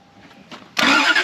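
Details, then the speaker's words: 1991 Lexus LS400 that sat about 11 years, after cleaning the negative battery terminal: the starter grabs with a strong, fast, even cranking whirr, run in short intervals to work the oil up. Normal cranking. "Yeah, he wants to crank. So, I guess try cranking it for like three three second intervals or something to try to get the oil worked up."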